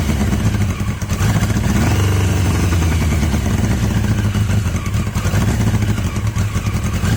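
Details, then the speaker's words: Yamaha XJ750 four-cylinder motorcycle brought back to life: lumpy, lopsided low thrum, running only on cylinders three and four; one and two not contributing despite spark on at least one. "got some noise when it runs it doesn't sound that unhealthy just getting it to run one and two running pot sorry three and four running"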